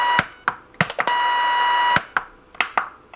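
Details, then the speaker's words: Lightning-damaged NuTone IMA3303 intercom: button clicks with sharp tone bursts and a held high squeal whose pitch differs between AM and FM, an oscillation. "if you notice between am and fm the pitch of the distress call is different now the big question here is why does it do this"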